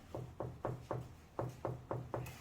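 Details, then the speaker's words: Bianco wall tile above a raised marble ledge, tapped by hand: eight crisp firm taps, short dull thuds with no hollow ring, about four per second; solid, well-bonded tile. "자 단단한 소리가 나죠 자 이게 바로 그런 뜻입니다"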